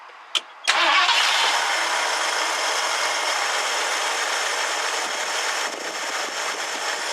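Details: 1969 Ford Club Wagon barn find with good oil pressure: it cranks quickly, catches within a second and settles into a steady, even idle with no knocks or misses. Normal start and idle while alternator charging is being checked.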